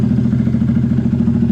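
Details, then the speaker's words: Honda Grom with BBK kit at 800 miles, cold start before teardown, slow oil leak: steady single-cylinder idle thump with light mechanical clatter and no knocks. Fires right up and runs healthy; owner notes a little lacking top end. "fires right up like I said runs fantastic it's a beast from about zero to sixty"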